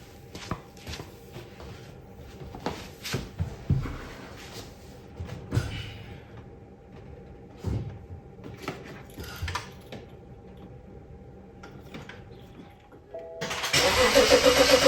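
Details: Early BMW N55 engine, just fitted with a rebuilt N54-style high-pressure fuel pump with E85 seals replacing a failing pump; throttle-body connector and oil-pressure sensor broken. After quiet clicks it cranks briefly, catches cleanly and settles to an even idle. Rail and low-side pressure fine: normal start.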